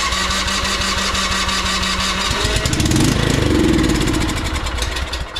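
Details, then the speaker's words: Cub Cadet CC30 30" rear-engine riding mower that cranks but won't start: steady cranking at about four turns a second, then it fires and revs on sprayed carburetor cleaner. Fuel isn't reaching the engine properly. "so it fires right up on carburetor cleaner so that's basically bypassing the whole fuel system at that point"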